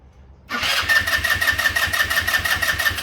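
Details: Yerf-Dog go-kart with a GY6 150cc engine, spark restored using a test CDI after a bad regulator/rectifier was found: it catches and chuffs unevenly at about three pops a second on fuel squirted into the gummed-up carburetor. It fires briefly, then dies from fuel starvation.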